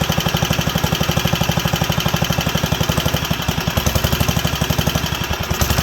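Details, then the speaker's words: Wisconsin AENL single-cylinder barn-find engine, first run in 20+ years after spark restoration and fuel system/carb cleaning: chugging unevenly, leaning out and recovering, hunting for revs; owner suspects a needle problem. "well it's drawing fuel it's sounds like it wants a little more reds and i turned it down there and or we can uh give her a few more revs let's see how she handles but it's leaning out coming back leaning out coming back"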